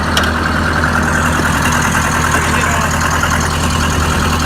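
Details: Oliver 550 tractor diesel after a new injector install, on a rigged-up radiator that still leaks: a steady, even idle with no misfire or stumble, not smoking; sounds healthy.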